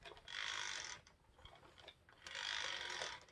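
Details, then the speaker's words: 1996 Kirby G4 vacuum, transmission in neutral, before refurbishment: dry rattling clack in two bursts as it rolls; age-related dry rear axle bearings that need grease. "maybe let's grease up those rear axle bearings that's one of them"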